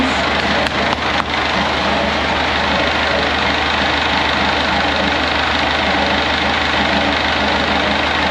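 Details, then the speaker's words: Perkins AA35001 marine diesel in steel-hull sailboat SY Carla, first start after almost a year laid up and winterized, fuel pump primed: constant low hum at steady idle, no knocks or hunting, cooling water flowing, some smoke; normal diesel idle. "it's like he's never done anything else perfect Mr Perkins is living"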